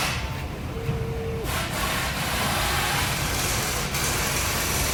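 V8 idling with an uneven, lumpy low pulse instead of a smooth rumble, a single-cylinder misfire.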